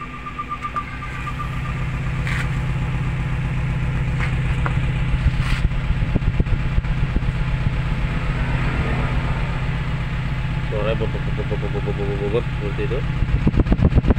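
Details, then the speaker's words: Suzuki Carry Futura pickup, sound at tailpipe at idle: uneven stumbling puffs about four a second with a skip; one cylinder not firing, shaking, low power; coil, spark plug or injector suspected. "nah ini kita coba ini mesinnya ginjal seperti ini yaetar seperti ada satu e pengapian yang tidak berfungsi"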